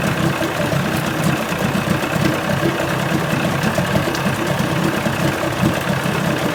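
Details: 1980 Chrysler 45 hp two-stroke outboard at fast idle after the crank-no-start complaint: a steady, even burble with no misses, knocks or surging; responsive, nothing found wrong.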